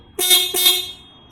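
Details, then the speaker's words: Ducati 796 horn removed from its bracket with ignition on: two short, loud, clean honks with a steady bright tone. The horn goes dull when it touches the bracket or is mounted and tightened, and is loud when loose. "Look at how loud it is."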